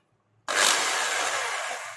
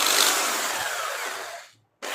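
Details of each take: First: Electric drill, about 13 mm, after replacing its switch and reconnecting the armature carbon connection, running in reverse with only four cover screws fitted: high whir spins up instantly, holds even pitch then coasts down; residual noise should stop once screws are tightened. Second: Drill machine after switch replacement, only four housing screws fitted, power applied and run in reverse then forward: short bursts of high buzzy whir with a faint rattle from loose housing screws, expected to stop once all screws are tightened.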